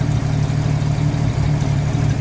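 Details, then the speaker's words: 1950 Chevy coupe six-cylinder at idle in cold weather: deep, slow, slightly lumpy idle set at about 600 rpm, a little too low when cold (set right when warm), so the idle screw is turned up a hair. "But this one's set to about 600, but this cold weather, it's a little too low. So with that screwdriver, I'll turn it up just a hair."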